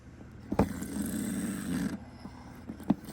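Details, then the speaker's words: 1983 GE 3-6045A boombox parts unit, with the cassette deck motor run on bench voltage after oiling: a rough, uneven buzzing drone that sounds horrible, drawing about 600 mA. Owner suspects a failed leaf switch left the motor running for years. "give me a little more juice voltage all right not too much more that sounds horrible this is after I put oil in"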